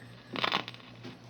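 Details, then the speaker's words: National NC-2-40D tube receiver under repair, tubes not yet tested: steady low hum with irregular bursts of crackle, pops and static, no station received; faulty. "This is still not working correctly. You can listen here. Let me bring it down so you can hear. It's just crackling and making crackles and pops is all it's doing right now."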